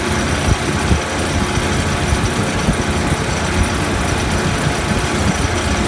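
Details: Refrigeration compressor after condenser coil leak repair, rough steady low rumble with uneven thumping; heavy vibration, net oil pressure about 20 psi versus usual 30–40, headmaster not bypassing condenser suspected, cause not confirmed.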